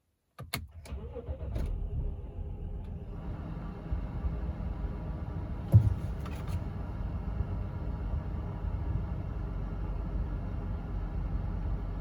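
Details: 2011 BMW X5 35i E70 N55, 109,000 mi, after Bosch fuel injector replacement fixing P0306 cylinder 6 misfire and surging idle: brief crank, clean catch, steady even idle with no stumble or hunting; normal start.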